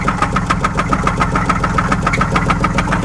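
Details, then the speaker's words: 2004 Buick Park Avenue Ultra, supercharged, mufflers cut off: loud, steady, sharp metallic knock at about three to four per second over idle, sounding like a rod knock. "uh-oh that didn't sound good [Music] that sounds like a rod knock"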